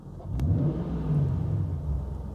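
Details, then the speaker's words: Jaguar XK engine lifts cleanly from idle on a throttle blip and settles back smoothly, no misses; the oxygen sensor switches correctly with exhaust oxygen change, confirming it works; engine runs healthy. "So there you go, look, it's sensing the oxygen change in the exhaust. So we're back at idle now, so you can see that it's settled down. And here we go again."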